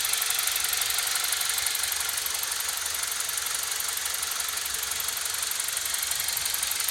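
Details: BMW E46 318i N46B20A with high oil consumption and blue idle smoke: crisp, even ticking about three per second at idle from the intake area, unnoticeable when driving; owner suspects the CCV, not confirmed.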